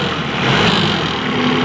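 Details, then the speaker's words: Mitsubishi 5-ton diesel forklift that kept stalling while driving, idling after fitting a replacement fuel feed pump: steady even diesel drone with no rattle or harsh clatter, unlike the noisy old pump, confirming the old pump was faulty. "Dengar normal teman-teman ya tidak bunyi berisik seperti yang kita temukan di pompa inias kita pasang"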